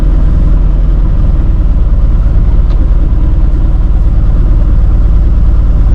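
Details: Free 1951 Plymouth, formerly locked-up engine, running while being driven with stuck brakes: loud, deep lumpy note with dull rhythmic knock tied to engine speed as oil pressure drops; knock previously mentioned by another person, owner plans thick heavy-duty diesel oil.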